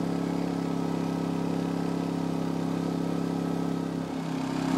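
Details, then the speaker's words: Energizer eZV2000P gas inverter generator, starting in economy mode, revs up and settles higher as the RV camper and lithium battery bank charger are plugged in, rising further when the charger's manual 14.4V boost is switched on; normal speed increase under load. "I'm actually going to go back and hit that switch that will increase the voltage to 14.4, the manual boost on that charger. You'll probably hear it rev up a little bit more."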